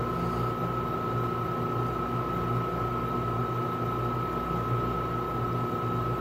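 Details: Tenney Lunaire TUJR temperature chamber, after reaching 200 degree set point, cooling back to 20 °C: both compressors on, steady low hum with constant mid-pitch tone, no knocking, rattling or cycling, running normally.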